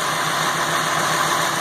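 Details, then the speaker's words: Ford F550 6.8 V10 run briefly with no coolant, top end open, oiling well; misfire was one fouled plug. Smooth, steady idle with even hum, no stumble, ticking or knock; sounds good. "It's obviously oiling well. I don't want to run it too god awful long, but she sounds good. That's good enough for me."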